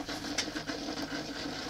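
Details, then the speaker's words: 2014 Polaris RZR 800S with a tested stock 180° thermostat, shut off hot at about 201° after an antifreeze smell. Temperature climbs to 208° and rapid bubbling, gurgling and hiss follow with the engine off. Coolant boiling over, cause unknown. "you're going to hear the things start to boil over 208 there it goes you can hear it start to boil over"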